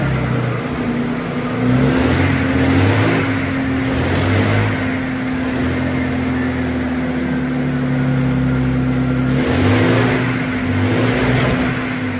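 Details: Centurion AVRE V12 on its first start after being taken apart to trace a power-loss issue, which was a simple fix. Deep, even rumble and steady drone, no knocks or misfires; normal running.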